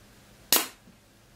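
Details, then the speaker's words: Bench test of a shift solenoid from a Mercedes 722.6 automatic transmission, valve body removed, air-pressurized to about 25 and single-cycled: a sharp click and short air hiss, then pressure holds near 16–20. The solenoid works correctly. "you heard it the pressure in the hose is coming down okay back to 20 I'm going slightly below 20 and now I'm like 16 but it's perfectly holding so this solenoid really really works correctly"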